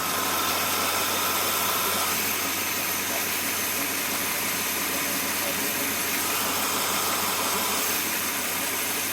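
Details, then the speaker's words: Chevy Blazer after cleaning and resealing gasket and plugging vacuum lines to fix sputtering idle; steady even idle with smooth hiss, no misfire or knock, burning off oil from the cylinder. "goodness that was a hell Merit I didn't I was not expecting that to work at all"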